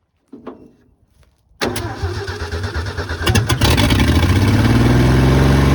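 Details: 1972 Ford F100 Custom, long-sitting formerly seized engine with front exhaust pipe missing, fed from a gas bottle through a badly leaking carb: catches and settles into a loud, raw, unmuffled, even idle, running steadily; normal running, no exhaust.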